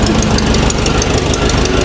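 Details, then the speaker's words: Abandoned 1960 Nash Metropolitan, first start after rewiring firing order to 1-3-4-2: loud rough idle with constant fast rattle; water pump totally worn out and belt loose, generator at end of adjustment so belt cannot be tightened. "well this might have something to do with a rattle water pump that's totally totally shafted and the generator is clear out of adjustment so this belt's not going to get any tighter guys"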